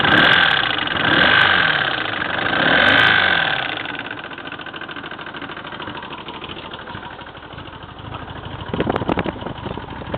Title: 1984 GL1200 Knocking sound